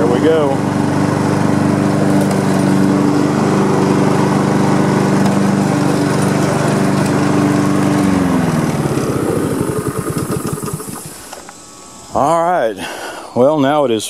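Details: Honda HRM215 mower after repair (new pull rope, unclogged fuel line, carburetor work, new drive belt), started on choke on a hot day: steady, even drone, then smooth wind-down at shutoff; runs as it should, drive weak, belt slip suspected.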